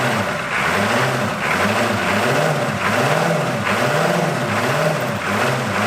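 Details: 1981 Buick Century with 350 diesel, abandoned, first start, glow plugs not working and one unhooked: lumpy loping running, not firing on all 8 cylinders; misfire.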